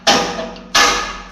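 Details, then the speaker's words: Straw/grass chopper cutting machine after tightening the third blade-adjustment nut: two crisp scraping swishes about 0.7 seconds apart as the blade sweeps past the counter blade, indicating correct blade adjustment. "তার মানে আমাদের একটু শব্দ হতে হবে, ঘ্যাস ঘ্যাস ঘ্যাস ঘ্যাস করে এই যে শব্দ হতে হবে নাটটা। হ্যাঁ, যখন আমরা ব্লেডটা মারবো এই যে শব্দ হচ্ছে, তার মানে আমাদের অ্যাডজাস্টমেন্টটা ঠিক আছে, অ্যাডজাস্টমেন্টটা এই যে ঠিক আছে।"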